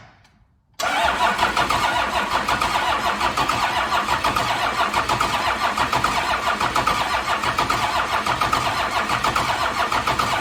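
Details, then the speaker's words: 1992 Dodge D350 Cummins diesel, sitting about 14–15 years: steady, even cranking for about ten seconds with no firing; fuel shutdown solenoid not getting power. "all right we're going to try again the fuel shutdown is not getting juice so i'm jumping it"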